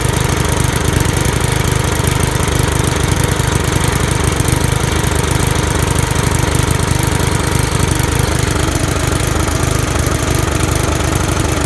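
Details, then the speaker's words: Used Briggs & Stratton lawn mower engine, first start after the head was removed, the carburetor and piston cleaned and the head gasket refitted, primed before starting: strong, even thrum at steady speed with no stumbling or surging, running clean and healthy. "Alright, so it's going to be the first time starting her up again. Just cleaned her. You see that's fucking brand new."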